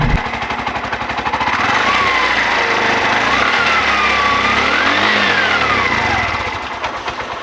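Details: 2021 Bajaj RE with a no-start, after the fuel filter under the tank was replaced and fuel added: the small engine catches and revs up and down cleanly, pitch following the throttle with no misfire or stumble; normal running.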